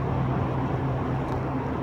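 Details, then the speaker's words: VW Golf Mk3 before repair at about 50 mph: whining, pulsating low vibration, a steady hum over road roar, suspected from one front wheel; worn wheel bearing whine. "there's a sort of whining pulsating pulsating whining low vibration and I think it's coming from that that really large there"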